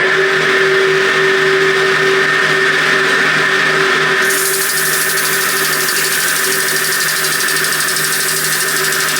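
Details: Motor on a 100-year-old forging power hammer, rebuilt with a newly fitted motor starter, run to clean the motor pulley: steady electric hum with constant tone and even drive noise, no knocking or grinding; running smoothly.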